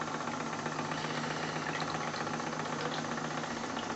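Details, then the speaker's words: Live-steam RC Clyde Puffer coaster Kilchoan (11 kg), small steam engine running very slowly on first test after leak sealing and new accessories: soft, even chuffing about four beats a second, no knocks or misses. Normal slow running. "j'espère que vous la voyez en tout cas cette machine aussi lente"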